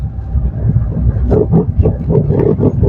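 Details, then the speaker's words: 2017 Maruti Suzuki Swift Dzire on rough road, heard from below the steering, right side, worst going downhill: rapid hollow knocks about three or four a second over bumps, steering rack knock from a worn rack bush. "നമ്മൾ rough റോഡിലൊക്കെ പോകുന്ന സമയത്ത് ഭയങ്കര ഭയങ്കര sound ആണ് സ്റ്റിയറിങ്ങിന്റെ sound ആണ് rack sound ആണ്"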